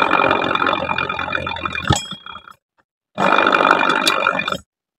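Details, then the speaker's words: Honda Vario 125, rear CVT pulley spun by hand: rough, gravelly grinding that fades as it slows. The worn pulley bearing is the dominant cause; replacing the pulley bushing and bearing as a set is recommended. "masih ada timbul bunyi berarti piik masalah dominan di bagian laker Polii untuk lesesnya memang gak bunyi"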